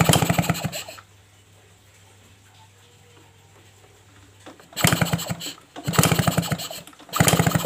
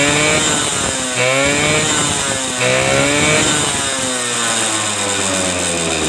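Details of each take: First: Suzuki RC motorcycle, hard to start (owner complains, worse in the morning): spark plug removed, five or six kick-start bursts that never fire and no visible spark; coil, stator or CDI suspected, coil wiring found messy. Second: Suzuki RC two-stroke motorcycle previously hard to start with weak spark from imitation coil, started after ignition rework, ignition switch not yet connected; crisp ring-ding buzz, revs blipped and falling back to steady idle; normal running.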